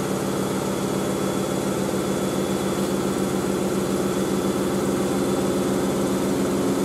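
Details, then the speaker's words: Miele W562 Prestige Plus 6 washing machine on a 95°C Cottons boilwash, spin climbing around 1,200 rpm: steady high hum with a fast buzzy rattle from the loose front panel. "front panel's going to rattle. Can hear it."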